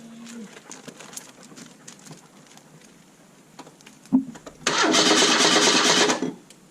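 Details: 1986 Merkur XR4Ti, low mileage, sitting at least 10 years: short burst of cranking that never fires. No fuel priming; owner suspects fuel delivery and plans to check wiring and the trunk inertia switch.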